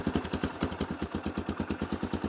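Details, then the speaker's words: Machine left sitting about a year, earlier cranked repeatedly, starts easily against expectations of carb work: an even single-cylinder idle at about eight beats a second with no misfires. Normal idle. "I 100% was not expecting that to start that easy. I wasn't expecting it to start at all."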